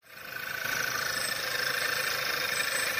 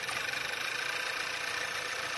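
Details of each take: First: Skoda Octavia 1.8 TSI 150 PS, codes P0299, P0507, P2279, P0171, misfires: loud steady hiss/whistle over uneven shaking idle, before repair. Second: Skoda Octavia 1.8 TSI 150 hp after repair of rough running (codes P0299, P0507, P2279, P0171), heard at exhaust and in engine bay: steady smooth idle with fine even pulse, no hunting or stumbling.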